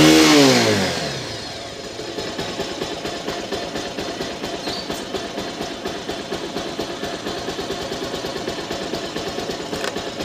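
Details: R-180 motorcycle after replacing busted pulser coil and neutral sensor O-ring that caused hard starting and no electrical power: brief start burst, then steady even idle with no misses; runs fine.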